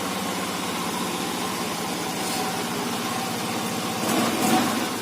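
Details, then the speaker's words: Yamaha Xeon RC injection scooter idling after a burnt, charred red wire in the starter fuse circuit was repaired (the ignition previously did nothing despite a good battery): even, steady single-cylinder idle with no misses or knocks. Finding: normal idle. "Ini alhamdulillah motornya sudah hidup dan normal."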